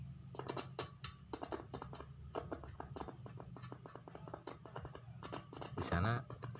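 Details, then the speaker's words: Speaker voice coil test with analog multimeter on scale 1, no amplifier: irregular sharp crackles and pops from the cone as probes touch terminals, showing the voice coil is still intact, unlike a burnt open coil. "seperti terdengar suara krotok-krotok ya. Nah itu teman-teman, kita ya. Itu nanti pertama coil ini masih bagus ya untuk speakernya."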